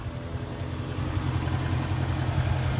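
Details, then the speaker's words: 2008 Jaguar XK 4.2 V8 automatic, 121k miles, just serviced by a specialist, bonnet open: deep even idle burble with a steady low beat and no knocks, ticks or hunting; healthy engine. "Very nice sounding engine, very smooth."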